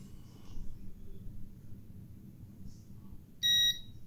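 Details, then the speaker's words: Geeetech Alkaid resin 3D printer homing its build plate to zero: quiet hum, then a short high-pitched beep as the plate interrupts the rear photoelectric fork sensor; normal endstop signal. "alors les bips qu'on entend c'est tout simplement dû au fait qu'on a à l'arrière ici une cellule une fourchette photoélectrique"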